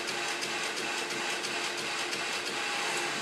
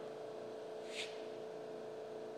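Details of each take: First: Residential fire protection (RFP) pump system; fast ticking about three a second over a hissing run as the pump switches on and off rapidly, short cycling; must be shut off immediately to avoid damage. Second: that's what the pump is supposed to sound like when it is running the way uh that it was designed to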